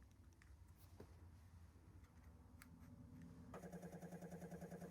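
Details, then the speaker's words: Espar Airtronic D2 diesel heater after replacing faulty blower motor, first test: quiet then a soft steady slightly pulsing hum spins up smoothly without scraping; old motor wouldn't start. Normal blower fan operation. "I hear the fan starting up. That's good. The other one wouldn't do that."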